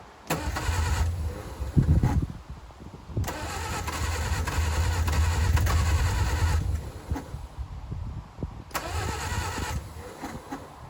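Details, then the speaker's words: 1959 Reliant Regal Mk5/Mk6, not run in over 20 years, on choke with fuel trickled into carburettor: long cranking with a few ragged firing bursts that catch briefly and die; firing but not yet running. "Nothing. Little fire. Okay, this could be it."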